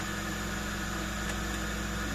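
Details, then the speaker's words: Flea-market desktop PC with Asus P5QL motherboard, 2 GB RAM, booted: steady fan hum with faint constant whine, no rattles or grinding; everything working fine. "So we can say that everything is working just fine. What a good feeling."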